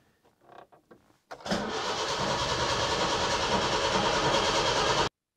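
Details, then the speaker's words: Datsun 120Y petrol engine, fuel just drawn through filter and pump after draining the old fuel; about four seconds of even cranking at roughly three turns a second with no firing. Hard starting; previous owner suspected worn ignition components, not confirmed. "the guy I bought it from told me that he thought that it was ignition related and the ignition components are really worn so uh that could be the case"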